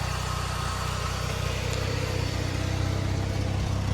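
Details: Pontiac just after fitting a replacement for the failed starter: steady, even idle with a low regular pulse of about four a second and no misses; normal idle.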